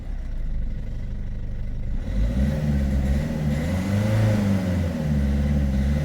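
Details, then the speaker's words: Peugeot 3008 1.6 HDi diesel, EGR and turbo already replaced, P0339 returning after clearing: revs climb unevenly with wavering, surging note on acceleration; hesitation from faulty crankshaft position (TDC) sensor signal, possibly dirty. "après effacement et plusieurs essais du véhicule qui présente toujours les mêmes symptômes on a le p0339 signal régime moteur signal temporairement erroné ou absent donc on a le capteur PMH qui est défaillant et qui cause ces troubles à l'accélération"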